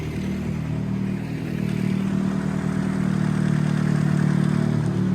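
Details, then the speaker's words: Nissan Sentra Spec V, not driven for months: steady idle with a light metallic rattle coming and going, idle dipping; at idle oil pressure is too low to hold the worn OEM cam phaser, so it slides back and forth into retard, rattling and dropping RPM. "And because it's just fluctuating and the oil pressure isn't high enough to keep it retarded because it's idling, it slides back and forth and it rattles. And every time it rattles, that it allows itself to go into retard, the RPMs, they drop because it's retarded."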